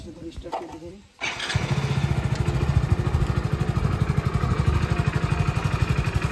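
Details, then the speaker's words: Hero Splendor BS6 i3s motorcycle with a no-start/i3s switch fault traced to a cut bank angle sensor; after the fix, it starts with the clutch held: catches after a second and settles into a steady, even single-cylinder thump; starts fine. "Clutch ধরলাম start হয়ে গেল"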